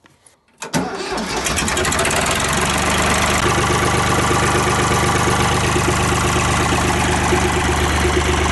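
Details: Ford 3910 diesel tractor after replacing a snapped return fuel line: brief crank, catches within a second and settles into a steady, even idle; runs clean and healthy, and the new line does not leak.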